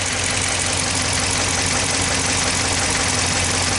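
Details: 2014 Dodge Ram 1500 5.7L V8 with a cylinder 6 misfire, idling: a light, somewhat uneven ticking about three a second under a steady drone; possibly linked to the misfire or internal damage, unconfirmed.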